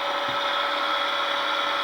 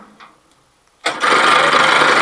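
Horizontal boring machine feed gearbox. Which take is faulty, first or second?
second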